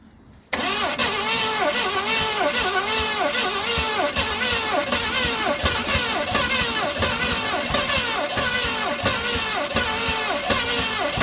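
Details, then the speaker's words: 1970 Mustang Mach 1 with fuel poured in: the starter cranks steadily, about two compression pulses a second, for ten seconds with no catch. Bad fuel was later found being pumped from the tank. "Well, she's getting close, guys. Let's get a little bit more fuel down in her. Hoping she would have popped off by now."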